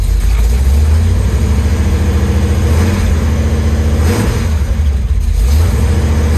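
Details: 1973 Chevy Nova V8, now carbureted with a Street Demon 750 (EFI removed), cold start after sitting a few days: deep idle surges and hunts unevenly, hard to start; owner says cold-start adjustments needed.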